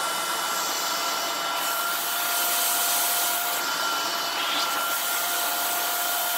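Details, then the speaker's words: Shark vacuum just fitted with a new or refurbished replacement motor assembly from the manufacturer: steady, even motor hum with a smooth airy rush and no rattle or surging. The suction motor is running quietly and healthily. "well that works freaky works really good really really good which I would hope so if it's a brand new motor or a refurbished motor wire it's really quiet I like how quiet that is"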